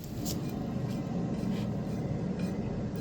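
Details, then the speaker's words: Ford Fiesta, passenger side rear wheel spinning: steady low coarse rumble, no knocks; worn wheel bearing to be replaced, driver side without rumble though brakes catch slightly. "I'm sure you can probably hear that, but there's a nice rumble there off passenger side rear wheel. So, that's going to be the bearing to do."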